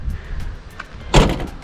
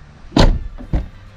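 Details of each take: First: Kia Carnival diesel, rear sliding door being checked: several heavy thuds instead of one solid latching clunk, because it won't latch first time and needs two closes. Owner suspects it needs adjustment. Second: Kia Carnival diesel, front left door closing: two short, deep, solid thuds with no rattle or tinny bang, which is the proper sound. A harsh bang would suggest worn damping. Normal door close.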